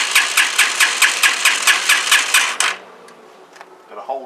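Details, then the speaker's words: CPI SUV125 after carburetor strip, clean and rebuild, with the carb bowl still empty and a temporary fuel tank: steady starter cranking for nearly three seconds, but the engine never catches. "let's try and fire it up it might turn over a bit because cab's empty but uh see if it sounds any better"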